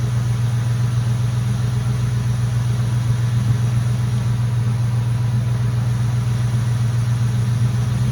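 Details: Mustang GT at idle after the power steering air bubble was fixed and the heater core was bypassed: a smooth, even, low idle with no whine or squeal; the pump noise is basically gone. Normal idle.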